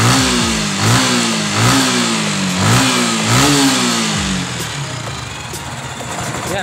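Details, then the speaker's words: Sniper motorcycle engine after top-end repair where the trigger arm was replaced; blipped up and down about every second, smooth and even with no tick over the revs, now quiet. "Ayan. Tahimik na. Wala na yung lagitik."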